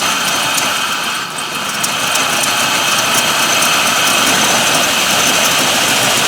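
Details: Truck with LS V8, over 250k miles, after replacing intake manifold gaskets for P0171/P0174 lean codes, manifold bolts not yet torqued; steady, even idle with light patter, no misses, knocks or hissing; running normally.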